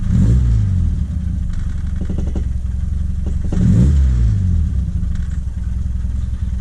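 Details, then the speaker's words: 1978 Triumph Spitfire, Weber 38 DGAS carb, warmed up, new distributor and coil, choke blades not fully open: rattles, revs climb then sag and fall away, unresponsive; hesitation from fuel starvation and an intake manifold leak. "dropping pretty bad, and it's not that very responsive. It's like, you know, it's hitting a little bit of a wall."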